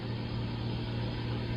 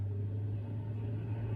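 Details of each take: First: Frigidaire GLRT183TDWE fridge with a warm fridge but a cold freezer: the compressor runs at the back with a steady low hum and even drone, no knocks or rattles; compressor working normally. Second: Frigidaire GLRT183TDWE warm fridge: the evaporator fan motor, found not working, runs only after a push, with a low, slow and uneven hum; it is failing and needs replacing.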